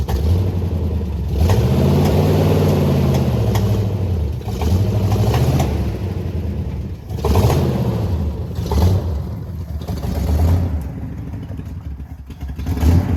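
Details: 1979 Jeep J20 with dual exhaust, sat a year, low compression: uneven, chugging exhaust that stumbles as revs rise and fall, a misfire attributed to weak compression in the middle cylinders.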